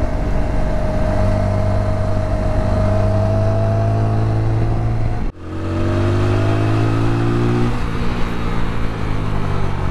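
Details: 2021 TVS Apache RTR 200 4V BS6 at 16,000 km, riding with a steady whirring gear whine over the engine, only in third gear, briefly cut during a shift; gearbox fixed under warranty in an engine rebuild.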